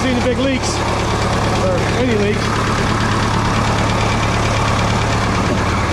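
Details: 1967 Minneapolis Moline U302 diesel tractor just after thermostat replacement and coolant refill, started in neutral with different battery for warm-up: steady low diesel chug at idle, even firing, no knocks or misses; normal idle.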